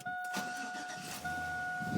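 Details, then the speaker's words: 1999 Chevrolet Silverado K1500 with a 5.3 L V8 and stock exhaust, already run earlier that day: a short crank, then it catches right away and drops to idle under a dash chime; a clean, healthy start. "It starts right up. Although, to be fair, I did have it running today."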